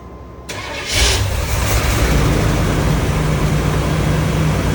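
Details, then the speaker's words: 1978 Chevrolet Corvette, last on the road in 2012, test start on a new battery with carburetor cleaner in the carb, oil pressure 50 psi: catches and settles into an uneven, lumpy idle; misfire suspected from one or more plugs or a plug wire, no internal tapping heard. "I do hear a misfire. One of the plugs, maybe a couple, or a spark plug wire might be faulting and creating a imbalance in the motor."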